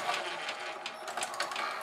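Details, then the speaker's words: GoVideo DVR4000 DVD-VCR, top off, tape inserted at power-on: light uneven whirring and clicking as the mechanism stutters, spills tape and won't eject; barely any take-up torque, drive gear cracked and detached from clutch. "tried to spill it out right there that's definitely not good no it doesn't like that there's definitely something going on with that mechanism it doesn't want to give me my tape back"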